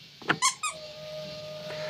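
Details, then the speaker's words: 1955 Mercedes-Benz 300SL Gullwing, inline-six, key at first position with fuel pump switch pulled before start: a few squeaky clicks, then a steady thin electric hum; fuel pump priming normally. "I hear the fuel pump running. Wait a few seconds for the fuel to reach the engine, then turn the key one more turn to start it."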